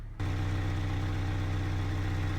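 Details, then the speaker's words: First-generation Honda Fit with misfire at idle, weak ignition coils suspected; test with a new coil pack on cylinder 1, which still misfires, so cylinder 1 is ruled out. Low, slightly uneven sputtering idle hum; engine misfire at idle. "go ahead and start the car so I can already hear the motor misfiring so I know it's not cylinder"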